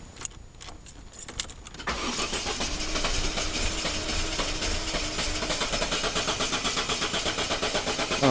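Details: 2002 Mercedes-Benz A190 with an intermittent no-start: light, uneven starter ticking for about two seconds, then it fires and settles into a steady idle. Starter motor, fuel pump, cam sensor and crank sensor were already replaced without change.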